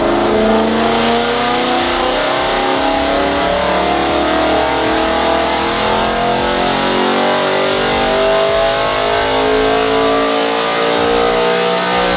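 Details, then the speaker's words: Supercharged BMW E92 M3, base tune, after tightening the ignition earth behind the misfire: smooth, clean rising note pulling steadily to the redline with no stutter; runs perfectly, fault fixed. "and though he reached the red line that I hope you that's the problem fixed and thankfully it was the car run perfectly that time"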